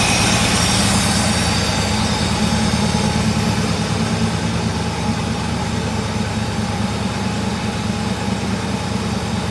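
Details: Euro Mercedes 6.9, still cold after sitting overnight: loud, raw exhaust drone at a fast, steady cold idle sitting a bit high, no knocks or misses; oil pressure good.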